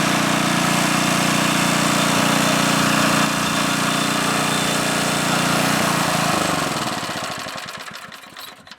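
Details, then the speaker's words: McLane edger with a small engine, revived after dirty carb and dirty gas: a gritty whirring rasp from the front spindle that fades on coast-down; air purged from the spindle, noise only slightly quieter. "so there's a little bit of noise coming out of the front spindle and I came prepared I had to purge the air out of the damn thing so hopefully that noise will quiet down in a little bit"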